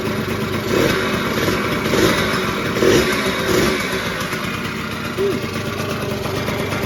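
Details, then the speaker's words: 1989 Yamaha Zuma two-stroke scooter rebuilt to 70cc with a big bore kit, new exhaust, variator kit and carb, just after its first start. Raspy putter holding steady with a few throttle blips; it stays running on its own and idles fine. "the carburetor is on and the motor's back in and running pretty good"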